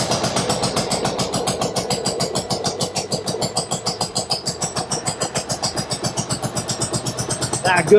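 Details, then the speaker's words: 1995 Harley-Davidson Sportster V-twin, first start with freshly charged battery: uneven lumpy beat about four pulses a second, hollow lopsided note, running on only one cylinder; spark plugs checked next. "okay sounds like it's running on one cylinder that's not good"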